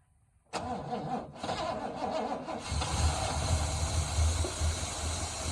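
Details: 1977 Holden HX Statesman, 308 V8 with Turbo 400, sat about 20 years, fuel-primed: short crank catches quickly and settles into a steady, deep rumbling idle, V8 running evenly.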